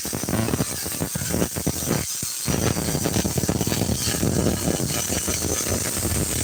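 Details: Student welding downhill, tying in and staying straight: steady fast crackling sizzle like frying bacon, even and unbroken, a stable MIG arc laying a really good bead.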